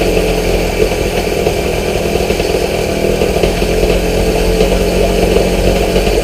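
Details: Outboard motor after new fuel lines, cleaned petcock and carb cleaned of gummed old gas and ethanol residue, started with starter fluid: rough buzzy two-stroke holds fast steady idle only on choke, dies without it, cause not found.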